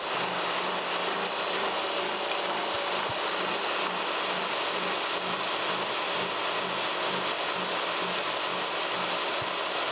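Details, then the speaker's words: Kearney & Trecker 3H horizontal mill, first spur-gear cut with dividing head, speed 124, feed 4.5 in/min, cutting oil applied: steady, even hiss of cutter through steel with soft regular pulse, no chatter or squeal; clean, healthy cut. "i'm going to give some cutting oil in here and we'll make our first cut see what it sounds like cutting like butter"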